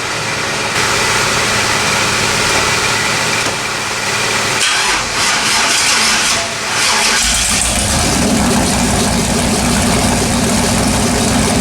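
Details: LS-swapped S10 truck, first start after cleaning carbon-fouled spark plugs and checking coil wiring: cranks, catches around seven seconds and settles into a steady, even idle with no knocks or stumbles.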